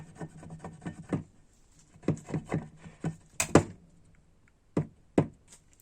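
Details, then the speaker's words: Ford Focus 2 facelift, 200,000 km: dull clunks in quick bursts as worn front ball joint is rocked by hand; loose joint let wheel move, wearing tyres on inner edge; replaced with 21 mm ball joint. "Подвески, да. И вот как шаровый еще стучит."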